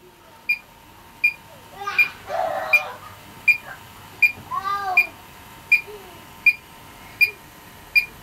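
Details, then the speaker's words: Leak detector probing the joints, valves and heat exchanger of an R404A condensing unit with a 12,000 BTU rotary compressor, the first stage of a dual-stage cascade; slow, steady beeps about 80 per minute mean no refrigerant is present: no leak detected. "so I can't see any problems there no no uh leaks detected very happy about"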